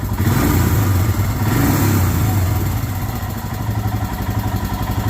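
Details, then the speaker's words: Royal Enfield Himalayan, hot. Quick throttle blip, then revs fall straight back to a steady, even idle thump; returns to correct idle when hot, no fast-idle hang. "because the bike should do this it should go right to correct idle when hot"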